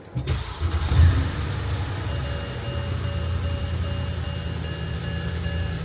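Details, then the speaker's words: Mercedes-Benz S550 after its exhaust leak was welded: short crank, catches and settles to a steady even idle with no puffing or ticking from the exhaust. The leak sounds fixed. "I don't hear the exhaust L [Music] [Applause] [Music] [Applause] anymore"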